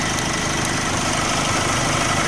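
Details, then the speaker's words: Nissan Navara diesel after a rattling alternator (rotor rubbing stator) and a loose idler pulley were fixed: evenly ticking, quiet steady clatter, no knocking; normal healthy idle. "สตาร์ทเครื่องเงียบเงียบกริ๊บๆๆตามเสียงก็คือเป็นเสียงปกติของnavara"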